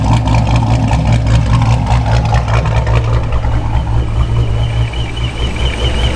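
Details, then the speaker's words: Forged 426 Hemi with D1SC ProCharger, straight-cut gears, idling at full operating temperature after fresh supercharger oil. Coarse gravelly grind with a faint whistle sounds identical to before the oil change; normal straight-cut blower gear noise. "so I know a lot of people were theorizing that it needed oil and it was the oil and oil issue definitely not I think this is just how these um straight-cut gear ProCharger sound"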